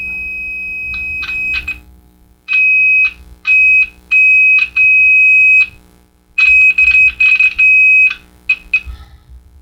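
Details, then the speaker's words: 1949 Silvertone Model 8004 AA4 AM radio under restoration, a loose connection suspected: a clean, steady high whistle comes through the speaker in bursts as signal is applied; the audio stage works normally. "Yeah, I could change it. It works. It's just must be a loose connection on that."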